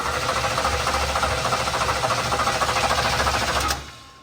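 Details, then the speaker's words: 1980s GM V8 (1987 Camaro Z28 or 1985 Monte Carlo) long stored with stale gas. Spark is confirmed and the throttle is held open; the starter churns at about 3.5 turns per second without firing. It cranks but won't start. "yep doesn't sound much different let me put some fresh fuel in it"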